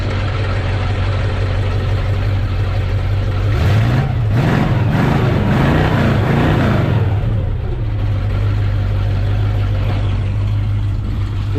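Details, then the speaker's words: 1968 Ford Mustang V8, 39,444 miles, cold start then idle: whirring drone swelling with a throttle blip from the visibly wobbling alternator pulley, which needs replacing. "good but like I said it is making a pulley noise and you can see the pulley moving right there that does need to be replaced"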